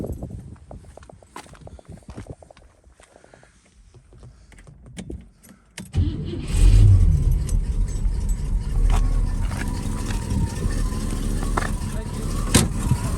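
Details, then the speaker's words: 1959 Cadillac Series Sixty-Two coupe V8 started cold in the morning: keys and cranking, then it catches and settles into a steady, even cold idle, running well with no knocks, bangs or smoke; may benefit from fine tuning. Normal cold idle. "so it's pretty cold this morning I only just start it up so it's stilling a little bit runs well no knocks no bangs no smoke"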